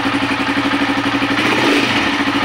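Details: Honda TMX155 that backfired, sputtered and was hard to start despite a new harness, ignition coil, CDI, spark plug and stator. After securing wires that touched the speedometer bracket, it starts and settles into an even, steady idle with no popping or misfire.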